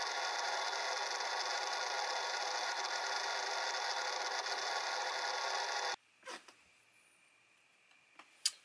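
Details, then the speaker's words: Stock cooling fan on a Sans Digital MobileRAID MR2UT+B enclosure, cleaned front and back, heard starting up: steady high airy whir for six seconds, then cuts off with clicks; loud stock fan, to be replaced with Noctua NF-A4x10 FLX. "i've cleaned off the fan and the back as well as the front and it may have sort of cooled off enough for you to hear what it sounds like when it's starting up"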